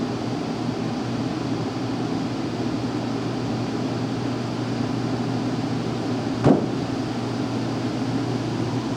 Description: Very loud boom (oil canning) and dripping water noise can be heard when furnace is running. The noise wakes us up around 5 am every morning.